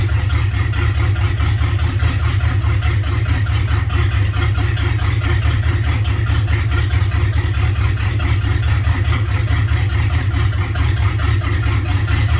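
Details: LQ4 V8: deep idle with an uneven, lumpy pulse that never settles into a smooth beat; rough idle, cause not yet pinned down.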